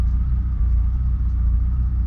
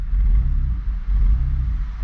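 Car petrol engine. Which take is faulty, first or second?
second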